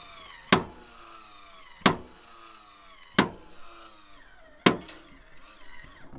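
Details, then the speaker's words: MaxxAir roof vent fan in a van: sharp loud clicks about every 1.4 seconds over faint motor whir while lowering (also opening); loose metal pieces broke off, failed lowering mechanism jamming, to be replaced with new parts. "i then started to notice um that when you open it everything's fine but then you start to get that noise [Music] and it happens again when it comes down as well"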